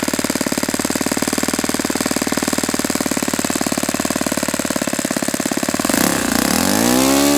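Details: Saito FA-91S model four-stroke glow engine, not run in many years, on a test stand on a chilly ~60°F day, running a Fox Miracle plug: crisp, rapid, even firing with no misses, then clean pickup as the throttle opens; normal, sweet running.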